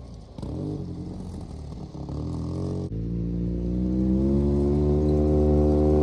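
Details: Polaris RZR just after a head gasket replacement, first start-up: the engine revs with a rising note, briefly drops out as throttle is added, then picks back up. Owner suspects the mass airflow sensor, throttle position sensor less likely.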